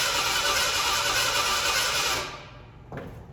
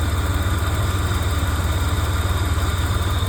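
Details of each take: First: 1987 Ford Bronco II, abandoned 15 years, after a fuel pump change: fast, even starter cranking for a couple of seconds that never catches, with the fuel pump audible. Owner suspects no spark. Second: 1987 Ford Bronco II, first run after 15 years sitting: a steady, even low-rumble idle with no knocks or misses. It is smoking heavily but runs healthy.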